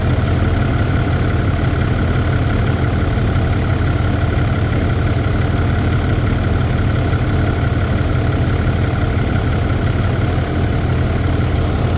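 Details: 2022 Ram 2500 Cummins diesel at idle: steady deep rumble with a fast, light ticking clatter riding over it.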